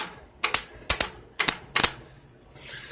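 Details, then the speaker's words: Honda CB400T Hawk with seized engine, solenoid jumped directly: sharp paired starter clicks with faint crackle and no cranking, engine confirmed seized. "well you can hear the starter clicking in there unfortunately that hasn't done its magic"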